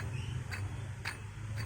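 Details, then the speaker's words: Toyota Avanza water pump (Aisin) removed over a rough noise at idle with no coolant leak, spun by hand: dull low rumble with a light tick about twice a second and slight play; possibly worn bearing, impeller fine. "Cuman emang terdengar suara kasar. Coba coba dengarkan deh. Bisa jadi ini penyumbang suara yang saat idil itu ter gitu ya."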